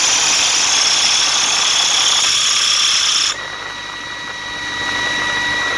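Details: Atlas Copco GA15 air compressor running with a loud high-pitched squeal and hiss that cuts off abruptly, leaving steady tones; drive belt issue, abnormal machine sound.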